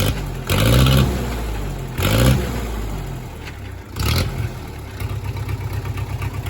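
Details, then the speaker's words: 1963 Case 310F bulldozer diesel, engine idle adjusted back down: three short revs settling to a steady even chugging idle with plate rattling, running decently with a little smoke; water pump area leaking. "yeah, she sounds good. She sounds good."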